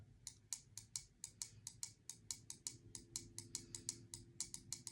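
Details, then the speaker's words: Automotive relay energized from a 12.24 V DC supply on the bench: crisp clicks about four times a second as the relay switches; normal relay click. "that's the relay firing."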